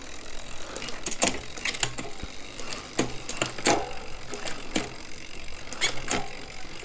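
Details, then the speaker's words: Shimano Di2 electronic shifting in synchro mode: shifting toward harder gears, the front derailleur automatically moves the chain to the large chainring while the rear compensates two cogs; short motor whirs and chain clicks, clean and quick, normal synchro shift. "the front derailer is automatically going to shift the chain to the large chain ring and at the same time it's going to compensate in the rear by moving the chain back up to cogs"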